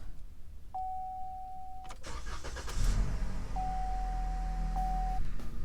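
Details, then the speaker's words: 2013 Chevrolet Malibu 2.5L, 120k miles, starting after replacing both intake and exhaust VVT cam solenoids for code P0010: two chimes, brief crank, quick catch to even idle; check engine lights out. Normal start after repair. "Notice that my check engine lights, both the little tire with the exclamation point symbol and the engine symbol, are out."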